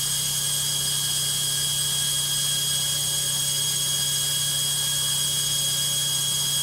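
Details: LOGIK washing machine on fast spin: a sharp, steady high whine with a low rumble underneath, loud and constant; a noisy spin of unknown cause.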